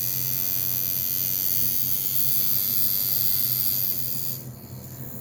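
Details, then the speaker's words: Cheap coil tattoo machine being tuned for lining with needle added, around 97-100 cycles per second at 45-50% duty: fast harsh raspy buzz, sounds out of tune. "that's not sounding good i don't like that"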